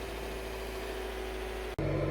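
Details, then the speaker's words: Toyota 1NZ-FE four-cylinder after replacing the in-tank fuel pump, strainer and fine filter, and refitting a forgotten fuel-module O-ring that had caused a no-start: steady, even low idle hum with no knocks or misses; normal idle. "Заводим движок. Все завелось без проблем."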